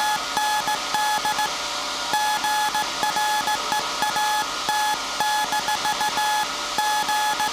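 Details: SAQ Grimeton 1924 Alexanderson alternator VLF transmitter on 17.2 kHz CW, December 1st 2024 centennial transmission, punch tape transmitter soon to stop and hand over to hand keying: steady high beeps in dot-dash groups over constant hum; clean Morse CW transmission working normally.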